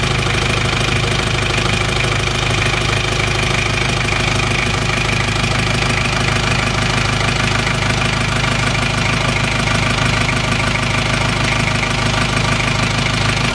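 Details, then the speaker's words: Isuzu Panther 2.3 diesel idling after engine repair reusing worn liners: loud, even idle with steady clatter, no misses or surges; engine smooth, exhaust no longer smoking. "Alhamdulillah suara mesin juga sudah halus buangan sudah tidak keluar asap"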